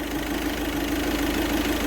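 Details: VW Vento turbo diesel after injector knock fix, idling with AC on: even, smooth light clatter, no heavy rattle; the earlier tractor-like rattle that appeared with AC on is gone.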